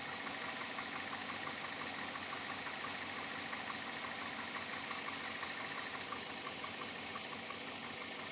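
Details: 2007 Chevrolet Avalanche at about 86,000 miles, steady idle with a light, fairly regular tick-knock near two per second over the engine hum; owner asks whether it is knocking or piston slap, unresolved after four dealer visits.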